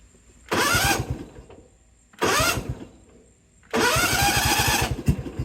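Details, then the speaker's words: John Deere GT245 mower with Kawasaki engine, just after fitting a new starter (old one was sluggish and sticking): three brisk cranking bursts with a quick, even compression beat and the engine catching; normal starter cranking. "well the start starter sounds really good which is what I would expect for a brand new starter so great previously was a a little bit on the lethargic side"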